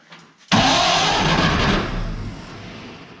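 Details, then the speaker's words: Barn-find 1931 Oldsmobile F31 after fuel was poured into the carburetor fuel bowl and down the throat: short quiet crank, then catches with a sudden roar and settles toward idle; clean start. "yeah there we go think that was a problem sound pretty good huh"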